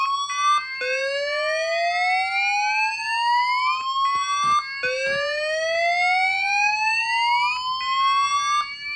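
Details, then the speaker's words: Fire alarm evacuation sounder on an F4 panel, wattage jumper set to 0.33 W (quietest), resistor fitted, bell cutoff removed, fire condition activated: loud repeating upward-sweeping whoop with voice evacuation message; sounder and speaker working normally. "So now when we get a fire condition, both this sounder here and that speaker should go."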